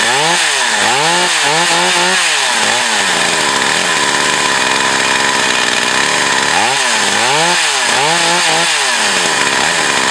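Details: Used Echo CS 4500 chainsaw, stored unused for years, carb rebuilt, fuel filter possibly changed, high-speed needle adjusted: a clean, crisp two-stroke scream bogs slightly into the cut and picks back up smoothly; the saw is now running healthy.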